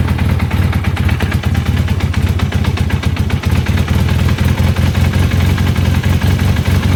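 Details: Honda CB400 at idle: fast, even clattering rattle over a steady idle, loud at low revs, from a slack cam chain chattering.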